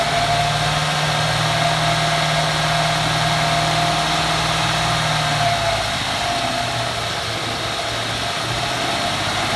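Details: 2014 Ford F150 4x4 revved in place with hood open: thin, steady high nails-on-chalkboard squeal over the rev, fading as speed drops; first only when cold, now constant; source unknown; squeal when revving.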